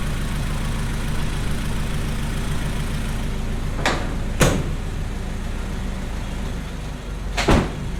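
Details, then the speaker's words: Honda CRX with a rebuilt B20/VTEC engine after blocking the intake manifold vacuum nipple and venting the crankcase breather, curing an earlier high-pitched noise: steady, even idle hum, no whistle or hiss, a couple of door clunks; normal idle. "I got a couple more things to tidy up on it it runs right"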